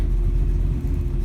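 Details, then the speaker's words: 1948 Mercury coupe idling cold: low steady even throaty rumble, not overbearing, no knocks or misses; oil pressure a little over 60 at idle, water temperature cold. Normal cold idle. "Has a nice throaty sound to it. It's not overbearing by any means. There's oil pressure at idle. Cold, of course."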